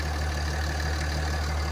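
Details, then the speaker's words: Cummins diesel single-cab truck, 215K, after grid heater relay wiring repair and crank position sensor replacement, lift pump primed: deep steady low rumble with an even drone and no knocks or misses; healthy idle. "I fixed this truck for free, technically. If we want to count that, I spent $50 and a little bit of time. This engine sounds absolutely amazing."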